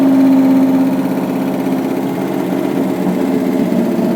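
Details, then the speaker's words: '67 Ford F100 with a swapped 5.7 Hemi fitted with Eagle heads, a GT45 turbo and new coil drivers, at first successful start: steady idle with heavy, even valvetrain ticking; owner suspects pushrods too short. "it seems to be running really well it's definitely got a lot of valve train noise um I'll have to pull a valve cover off and make sure those push rods are the right lane they might be a little short"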